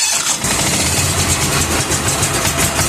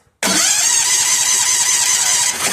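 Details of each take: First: Bad Boy riding mower engine after replacing the faulty ignition coil, started with choke and a little throttle: cranks, catches within a second, settles into a steady buzzy run. Slightly noisy and smoking, oil very black. Normal start. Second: Bad Boy riding mower that only clicked at first: the starter now cranks with a steady, even whir but never catches or fires. No spark even after kill-wire checks, so the ignition coil is judged bad and replaced.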